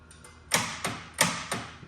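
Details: Gottlieb Spirit pinball machine during restoration, first power-up after fitting fuses, coil test: four sharp solid clacks about a third of a second apart, each coil snapping in cleanly; normal solenoid coil firing.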